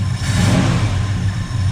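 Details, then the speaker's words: 1981 Ford F100 with 289 V8 just after installing an Accel 8020 points eliminator and setting timing; deep even V8 burble just after start, steady, no knocks or misses; healthy running. "Crank it. There you go. Little old 289. Sounds pretty good."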